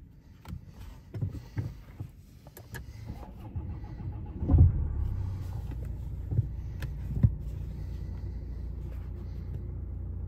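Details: 2017 Audi A5 after brake servo pressure sensor replacement (faults C11EC04/C123EF0) and codes cleared, started: a few clicks, quick start, then quiet steady low idle hum with no stumbles; healthy, faults stayed clear.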